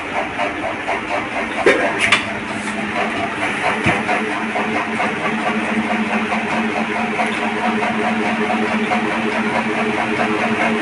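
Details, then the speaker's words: Ceiling fan running with a hum and intermittent sharp knocks and jerks; dry, sticking bearings, before being fixed without replacing the bearings. "इस तरीके से आवाज देखने को आपको मिलेगा और इसमें बीच बीच में कट का आवाज आता है झटका आता है"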